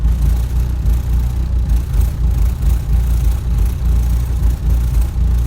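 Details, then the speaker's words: Mercedes 300D diesel, cold start in cold weather: uneven lumpy idle about every half second, one cylinder not always firing until warm; owner suspects a bad or weak glow plug. "it sounds like it's got one cylinder that's when it's cold it's not always hitting"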